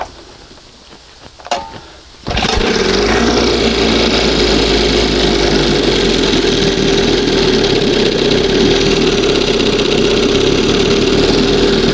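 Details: 1971 Johnson 20 hp two-stroke outboard, warmed up: fires after a few clicks into a fast, buzzy, high idle; still pulling air somewhere, owner suspects seal or makeshift hose; uneven idle speed.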